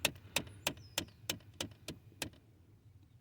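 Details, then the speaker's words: 2017 Ford Expedition, ticking every time any door is opened, traced to the HVAC heater blend door actuator (replacement part on order): sharp ticks about three per second, eight in a row, then stopping. "takes every time you open the door AC heater heater blend vent uh uh a Twitter all right just keeps on ticking any door can you open any door even the back door so you can hear it"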